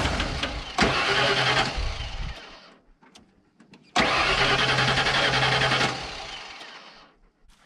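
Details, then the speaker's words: 1992 Ford F150 XLT, 302 V8, E40D automatic, with a new battery: two steady cranking bursts of about two seconds each that never catch. The fuel pump works but no fuel is being delivered. Crank, no start from fuel starvation. "Okay, the pump's working, engine's working, still not getting fuel."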